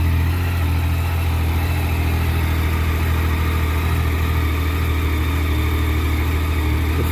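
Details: 2012 Triumph Street Triple 675 R after front fork seal and oil replacement, reassembled: steady, even low idle with a smooth constant hum and no knocks or rattles; settles and runs cleanly after starting.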